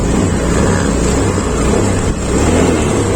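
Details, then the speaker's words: 2021 Honda Beat Deluxe scooter, previously hesitating on throttle, after throttle body cleaning and idle reset via DLC socket: steady low even idle with no stumbling or hunting; idles cleanly. "ini stasionernya anda bisa dengerin sendiri ya ini udah enak"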